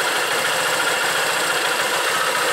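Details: Honda Titan 150 after repair with carburettor rejetted to a 115 jet: even, steady idle with regular exhaust beat and no tapping or clatter. The earlier misfire and knock on the balancer side are resolved.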